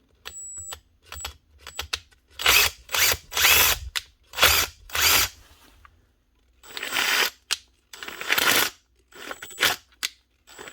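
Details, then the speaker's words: Makita DTD154 impact driver, short trigger bursts: harsh, gritty, rattling whir; armature and gears okay but rubbing, traced to failed front needle bearing in gearbox housing, replaced as the fix. "This is the Makita DTD154 and this is how you strip it apart to replace a broken gearbox housing with a failed needle bearing. Stay tuned and we'll show you how it's done. I don't think it's a motor problem, I think it might be a gearbox problem."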